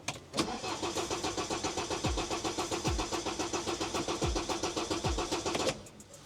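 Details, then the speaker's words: 2009 BMW 118d diesel, after trying to clear injector fault codes, clutch down: steady fast cranking three to four turns a second, no firing; cranks, won't start; owner suspects faulty injector, not confirmed. "try starting it again I don't know if that would have made any difference let me just pull my seat forward a bit a where my seat thing down here clutch [Music] down nothing nothing"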